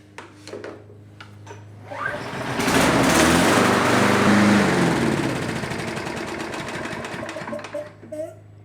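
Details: Troy-Bilt TB320 21-inch rear-wheel-drive mower, Briggs & Stratton 725 series EX 190cc. Restart after fitting the missing choke spring: catches after a couple of pulls, roars steadily, then eases down; choke now held open farther. Normal start and run.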